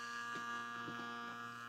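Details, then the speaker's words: 1948 Plymouth MoPar 802 car radio, recapped and rebuilt, 6-volt supply: faint steady fixed-tone buzz from the worn mechanical vibrator, a flapping contact chopping DC into AC for the power transformer; solid-state vibrator replacement planned. "guy right back here and they have a look it's just a little flapping contact it moves back and forth and it it often creates the alternating current that makes the transformer work"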